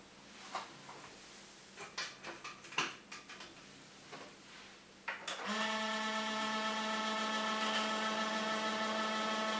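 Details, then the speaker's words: 10-year-old desktop PC, dusty inside, before oiling the fans: a few clicks then a loud steady hum with a buzzy whine from the cooling fans' dry bearings, loud enough for neighbours to complain. "сами понимаете с таким звуком на компьютер жалуется даже соседи поэтому надо с этим что-то делать"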